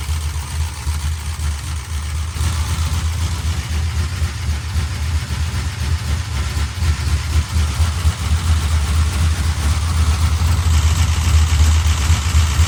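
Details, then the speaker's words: 1968 Dodge Charger, used big-block 440, restarted after lifter work: heavy V8 idle with fast, light sewing-machine ticking over the rumble. Valvetrain lifter chatter persists, possibly louder on 10 and 12; smaller cam and intake fitted, actual cam unknown. "All right. A sewing machine. 16 of them. 16 sewing machines coming right up."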